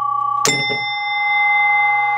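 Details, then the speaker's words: 1967 Williams Magic City electromechanical pinball machine after new coils were fitted to the big and small chime bells: a clean single chime strike with a bright, evenly decaying ring over a steady hum. The chimes score normally. "here are the new coils in uh the big Bell and the small bells and they work so woo loud when you're in here"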